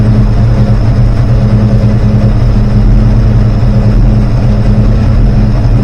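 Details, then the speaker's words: Rebuilt 360 V8: deep lumpy idle with uneven burble; hesitation and exhaust popping persist from 5° to 30° advance and leaned carbs, plugs caked, cause unknown. "I'm still getting the hesitation and pop pop pop and uh it didn't matter what I had it right down to 5° or right up to 30° Advanced"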